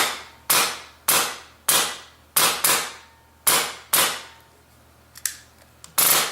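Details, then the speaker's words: Polarstar airsoft engine reassembled without bucking, firing semi: sharp cracking shots in an uneven string, loud and hissy as air escapes through the open nozzle port; screech and feed complaint, folded bucking lips found. "It probably sounds a little louder because the air is trying to escape through this port right here, this open area."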